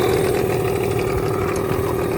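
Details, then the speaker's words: Unbranded Amazon 20 hp two-stroke outboard resembling a Yamaha Enduro, idling on a boat after three pulls. An even, steady putter with no misses or knocks; it pumps water, with slight cowling smoke the owner suspects comes up the shift shaft hole at startup. Normal idle. "Well, three pulls and it started and it's idling and it's pumping water."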